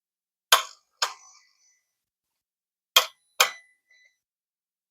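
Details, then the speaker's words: 2007 Audi S8 with a replacement throttle valve, throttle valve adaptation attempted with ignition on: four sharp isolated clicks in two pairs in near silence as the valve twitches briefly, then the adaptation errors. Cause suspected, not confirmed; owner considers swapping control units. "there you go I'm hope that the mic picked up the clicking sounds but you can see anyways it goes to an error"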